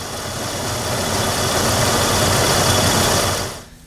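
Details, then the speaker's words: 1997 Toyota Tacoma 3.4 L V6 starting and idling smoothly and evenly without stumble; engine running normally. "what a signature sound of this 3.4 l V6 if this is not it I don't know what it is"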